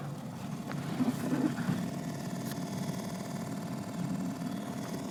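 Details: Toyota Corolla 16-valve EFI cranks steadily for several seconds but never catches. Fuses are fine, it runs briefly on starter fluid then dies, and there is no pressure at the fuel rail hose; owner suspects the fuel pump.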